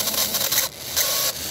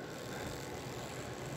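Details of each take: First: Model ball-bearing-axle chassis motor run on 12–17 V (17 V drawing 1 A): uneven high-pitched squeaks and chirps in bursts over the small motor's whir, clearing up around 12 V; dry bushing needing oil. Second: Chassis with ball-bearing axles after oiling a dry bushing: soft, even, quiet whirr at low voltage, about 1.9 V and 0.75 A with linkage, no squeak or rasp; running normally.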